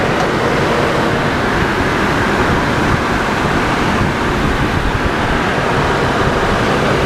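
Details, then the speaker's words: 2002 GMC Envoy after water pump and thermostat replacement for overheating: steady rush of clutch fan air over a smooth idle, no knocks, squeals or surging; clutch fan working, normal idle. "clutch fan is working good everything sounds good"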